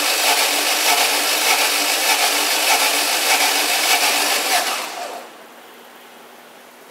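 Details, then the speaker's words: Fiat Strada 1.8 8v engine cranking during compression test on cylinder 4: starter cranks about five seconds with an uneven, lopsided beat; cylinder 4 reads zero compression (cylinder 2 just over 5 bar, cylinder 3 almost 8), one cylinder giving no compression. "o cilindro número 4 Faria pressão 0 bom então Já tá feito o nosso diagnóstico aqui"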